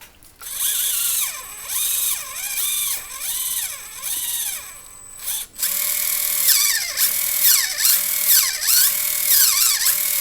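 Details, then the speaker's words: Axial SCX24 Jeep JLU RC crawler with CVD axle shafts and under-drive gears; small electric motor whine rises and sags as steering swings, dropping at each full lock as the binding steering knuckles bog the motor. "It gets really tight. So tight. Can you hear that? And there's bogging the motor."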